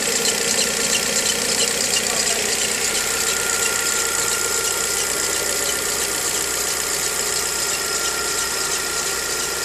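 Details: 2013/14 VW Gol G6 engine noise at start-up, mostly in the morning: a steady high-pitched squeal over the idle. The dealer first blamed the alternator belt, but the fault was the timing belt, replaced under warranty.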